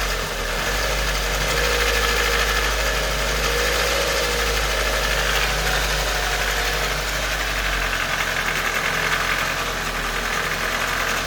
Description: k11 cg13de engine ticking noise when at operating temperature and only at idle. the car has been freshly serviced with 10w40 oil to the correct level. the tick goes away with a few revs.